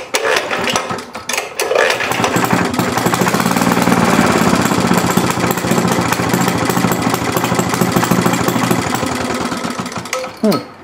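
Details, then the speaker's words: Rare 1937 Maytag Multi-Motor model 72 twin-cylinder engine with WICO magneto, running weak and uneven: irregular putter that surges and sags then fades; suspected starving for fuel, possibly low on gas, problem seen earlier. "yeah sounds like it's starving for gas for some reason have this problem earlier"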